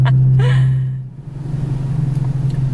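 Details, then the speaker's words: Toyota Camry driving after timing belt replacement: heavy low drone and raspy rumble under load while pulling away, loud from its exhaust; the owner is to be told to get the exhaust fixed. "they probably heard this exhaust went running with their pants"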